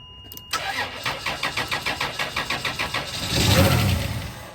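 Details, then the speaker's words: 1998 Chrysler Town & Country cranking with jumper across the blown 20A ASD fuse: steady cranking about 3.5 turns a second, one brief surge, then dies; fuse blows again, separated cut wires possibly still touching or burnt. "Okay, it's gone again. That means UH no wait it's gone. That means the wire that I separated maybe they're still connected"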